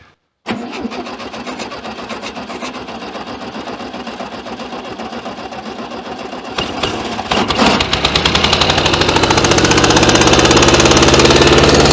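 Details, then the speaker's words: 1966 VW Beetle revived after 10+ years sitting, extra fuel squirted in place of choke: slow cranking then uneven running, pulsing and surging, won't keep running; owner suspects intermediate jet issue or bad plugs. "you know I thought we've got an intermediate jet sort of issue doesn't want to keep running"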